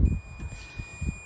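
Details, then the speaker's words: 2007 Jeep Liberty alternator replacement, multimeter continuity check: steady high-pitched tone reading 0 ohms to the frame (versus about 450 ohms normally), showing how an alternator shorted to ground sounds; a few handling thumps. "But if you go to the frame, you will hear that tone and 0 ohms. Okay, so that's what you would be looking for if you have a bad alternator as far as electrica"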